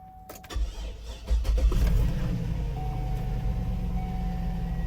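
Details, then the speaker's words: Salvage 2006 GMC Yukon Denali XL, bought sight unseen at auction and jump-started with a jumper box: a few seconds of cranking, then the V8 catches cleanly into a smooth idle with no knocks or misses. A healthy start. "she goes she's running pretty good sounds pretty good"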